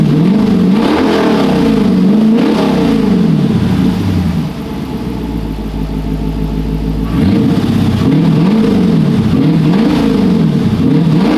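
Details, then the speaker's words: Car back running after over two years sitting, with the exhaust only partly installed and driveshaft not yet fitted: V8 blipped up and down several times, deep even rumble, slightly open exhaust note; clean, healthy revving. "Don't even have the full exhaust on it. When I put the full exhaust on it, man, it is super quiet."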